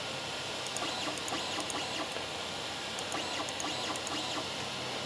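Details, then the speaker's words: Loud singing stepper whine as the bed and axes move on a Creality Ender 3 Pro with its original 8-bit board lacking Trinamic silent drivers, before upgrading to a 4.2.7 silent mainboard. "Yeah, this is also an 8-bit board too, so yeah, hear how loud that is. I can tell it definitely doesn't have a trinamic driver in it."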